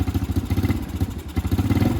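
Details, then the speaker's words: Venom Shop X20 with Nibbi carburetor gummed by stale fuel: choppy, lumpy putter surging and sagging instead of holding revs, near stalling, dies when the throttle is released; the carb and jet are really dirty and starving the engine, to be cleaned. "it just wants to die. And that's because the carb is and the jet is really dirty."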